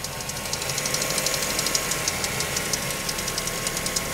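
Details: Mazda 5 at idle with light, sharp ticking about two per second, like marbles rattling; it happens intermittently at start-up, usually after a cold start, and goes away after a few minutes; the dealership found nothing; cold-start ticking, cause unknown.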